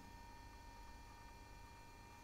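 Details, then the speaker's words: 20-year-old IBM ThinkPad R40 2722 laptop hard drive booting Windows 98: faint steady high whine over a low hum, no knocks or clicks; noisy drive spindle motor. "And this drive, it's kind of noisy."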